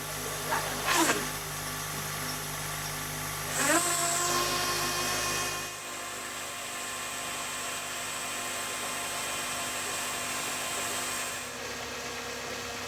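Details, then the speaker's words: 2004 Honda Accord, 350,000+ miles, idling right after power steering pump replacement, installed without pre-filling fluid: high steady whine from trapped air, easing as wheel is turned lock to lock; quiets to normal. "It sounded pretty rough at first, but once I turned the wheel back and forth a couple times, it eventually quieted down and then it finally sounded normal again."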